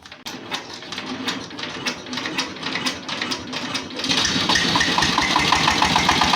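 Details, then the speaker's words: S-1115 single-cylinder diesel for a rice mill, with thick black smoke, high fuel use and fast coolant loss; uneven clattery beat near four a second with harsh top end, rough running; nozzle setting too tight suspected, to be rechecked. "Diesel के साथ क्या है, जहां nozzle setting बहुत लॉक है? मजबूत या बहुत मजबूत, सेटिंग भी इस तरह की आवाज पैदा कर सकती है"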